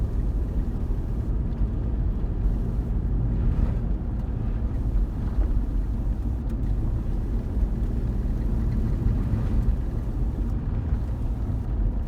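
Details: 2006 Jeep Commander 3.7L that started squealing and rumbling when accelerating: a deep, constant low drone stays heavy under throttle with no clear squeal audible. The source of the rumble is unknown.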